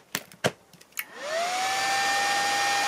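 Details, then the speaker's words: 24V 41.7A 1000W Chinese switching power supply module plugged in with no load, output about 24 volts: relay clicks, then its cooling fan spins up to a loud steady whine with rushing air; the fan is excessively noisy. "it's 24 volts it's about right and the phone is extremely loud it's a terrible fan and i also could hear it relay clicking"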